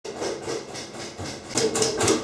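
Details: Kenmore 90 Series washer, model 110.26902691, in the rinse cycle: light, quick clicks a few times a second while room lights blink. Washing is fine, no loose parts found inside, persists with no load; cause unknown.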